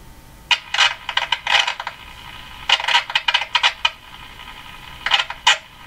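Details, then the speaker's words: Canadian Westinghouse Model 577 radio after the low B+ fix: irregular scratchy crackle while tuning, with no station; it stops when the tuning capacitor is fully open, so a scraping capacitor plate is suspected. "I think it's a plate scraping as soon as these this capacitor is opened all the way the sound disappears so that's when the plates dis disengage I think there's a uh a scraping plate here"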